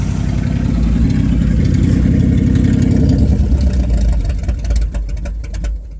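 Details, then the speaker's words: 1979 Ford F-100 that sat for years, running after filling the carburetor bowls with a little gas. Deep, even V8 burble holds steady, then stumbles and dies as the fuel runs out. Otherwise runs cleanly. "Yeah. Yeah, it runs, man. I'm so excited."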